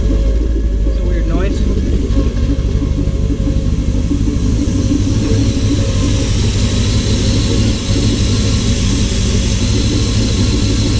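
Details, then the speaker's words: Corvette with eBay STS-style twin-turbo kit, bigger injectors and new oil supply adapter just fitted, test start-up: good oil pressure but heavy lumpy rumble stutters a lot, check engine light on; owner unsure of cause, doubts vacuum leak. "Good oil pressure. Oh. Oh, stuttering a lot. Check engine line on."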